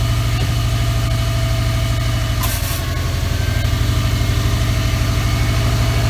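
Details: 2003 Subaru WRX idling after the AC belt tensioner pulley/bracket was replaced and the belt tightened; the belt had squeaked with the AC on after a regas. Steady, even low idle with no belt squeal or chirp: normal idle.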